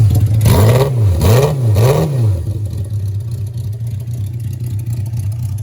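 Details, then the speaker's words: 1982 Suzuki GS650 Katana after carburetor cleaning: a few throttle blips, then an uneven, lumpy idle that stumbles as a couple of cylinders load up, as before. "so it's idling and it seems like it's loading up a lot like it did on a couple cylinders there"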